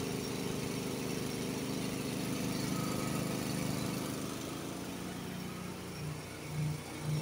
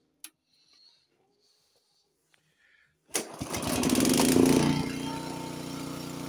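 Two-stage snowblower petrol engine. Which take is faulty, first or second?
first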